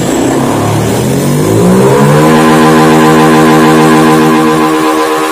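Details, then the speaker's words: Honda Beat FI scooter, sluggish and down on power, just after fitting and setting a new TPS (throttle opening 0.507): engine pitch climbs, holds, then sags instead of settling; unstable idle speed. "Oke perhatiin di rpm nya sekarang [Musik] kurang kurang bagus"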